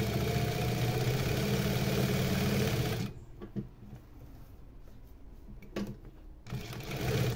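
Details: New servo motor on a sewing machine with topstitch presser foot, run from 600 up to about 2000 stitches per minute (max about 4000): quick even needle chatter over smooth motor hum, stopping cleanly; normal, quiet running.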